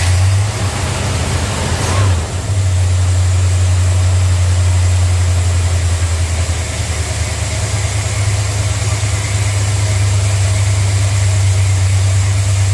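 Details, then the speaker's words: Plymouth cold start: low, uneven idle with stumbling, running rough; cause was an unplugged vacuum line to the brake booster; vacuum leak. "she's not happy not happy oh get back to you I found it well she was running rough"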